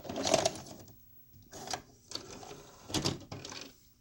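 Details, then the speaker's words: 1988 RCA VR-275 VCR, bought with a jammed tape loading mechanism, loading a test tape: short bursts of strained whirring and clicking with pauses from the loading motor, which sounds unhealthy. Cause not confirmed. "my test tape you listen to that loading motor doesn't sound too healthy"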